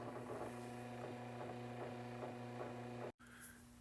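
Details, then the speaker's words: Vintage electric fan after disassembly and spraying WD-40 into it: a quiet, steady low motor hum with a faint soft tick, much less noise than before and running smoother. Rusty switch contacts are suspected of causing stops. Normal running. "And I noticed that the noise has gone down. It's running smoother for sure."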